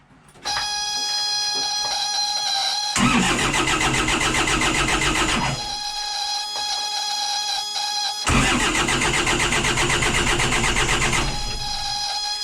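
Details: 60hp Isuzu C240 (QD60) diesel in a 1985 Outer Reef 26 trawler, first start in 10 years after priming the injection pump: two long cranking bursts under a steady high whine, barely catching each time. Hard start.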